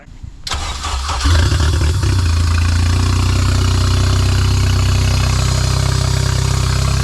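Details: K24A2-swapped 1987 Acura Integra after new MAP and intake air temperature sensors, and 12 V added to the second cam position sensor: cranks briefly, catches cleanly, steady even idle with no misses or knocks; finally runs normally.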